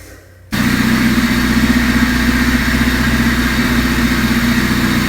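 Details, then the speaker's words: Honda Civic first start-up after a machine-shop-rebuilt cylinder head and intake/exhaust valve lash adjustment: quick catch, then an even, quiet idle with a steady low beat and no valvetrain ticking. Healthy, though a minor coolant drip is suspected from a missed intake manifold bolt. "so at idle it totally sounded different it was super quiet super smooth it just seemed to just idle so much better than before I had done that the valve lash adjustment"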